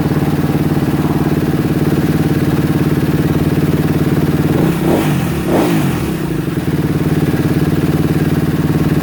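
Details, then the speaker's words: 2016 Kawasaki KX250F that wouldn't run (new fuel pump, plug, wiring harness, stator, CDI fitted), running at a fast idle that won't come down: light top-end ticking and rattle; valves to be checked, top end suspected due. "okay she sounds a little Ticky uh a little rattly I'm going to I'm going to check the valves"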